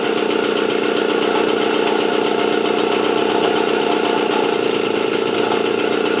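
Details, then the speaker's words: Motobécane AV89 moped two-stroke on a 70 cc Ersal kit, after ignition repair and fitting a head gasket of correct thickness, warming up before retorquing head and exhaust: quick even firing, no misses; running cleanly. "Donc bah écoutez, hein, quand le joint de culasse est de la bonne épaisseur, ça marche nickel."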